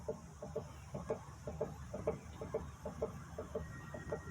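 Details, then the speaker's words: 2014 Honda Fit front suspension worked by hand gives repeated squeaky creaks about two a second; stabilizer link has play, suspected worn link causing the noise, not confirmed. "ela não apresenta da solta nem nada mas ela tá fazendo barulho quer ver ó e é tem uma folga ó ó e tem barulho"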